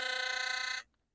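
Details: Philips Sonicare HX684B electric toothbrush after repair of a typical broken pin/screw fault that caused strong vibration and humming: steady, even high buzz in another mode, running normally.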